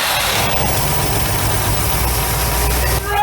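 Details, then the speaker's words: 1962 AMC Rambler, 196 cu in straight 6, abandoned 47 years, Carter AS 1-barrel carburetor, before repair: rough lumpy idle a few seconds, stumbles and dies when throttle added. "but when you would rev It Up you give it some throttle action it would die"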